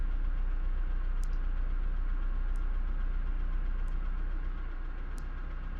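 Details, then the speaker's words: 1998 Honda CR-V at idle with a student-installed fault: uneven, lumpy idle with a regular low thump about four times a second; cylinder 3 is dead, code P0303. "keep in mind that the deadness really is just on cylinder 3 and that p0 303 is really the only code that we need to think about in this case"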